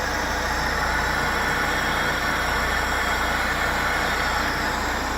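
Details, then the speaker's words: Supercharged BMW E36 318ti with M44 engine, started after sitting a few months: a steady, even idle hum with no knocking or hunting; it runs and drives well. "It actually runs, it drives great."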